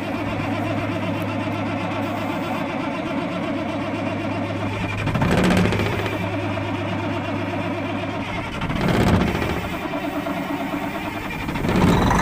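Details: Freightliner FLD120 diesel with 397k miles, first start attempt after sitting 17 years. Short cranking bursts over a steady hum, but it never catches. Air in the injector lines is suspected, not confirmed.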